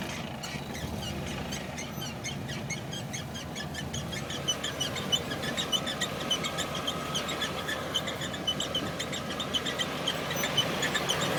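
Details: 1992 Camaro RS 305 TBI, 5-speed: rapid high-pitched chirping squeaks, three or four a second, from the shifter boot area over low engine rumble, only in first gear when releasing the clutch.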